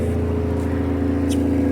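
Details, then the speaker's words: 1982 AMC Concord with newly fitted distributor and poor carburetor: loud, deep, blatty idle with open rasp from under the car; the exhaust is hanging low and leaking near the front, possibly damaged by an impound forklift. "it sounds pretty loud to me and when I kick it down it's probably going to be louder the more I look at it though your exhaust is hanging low"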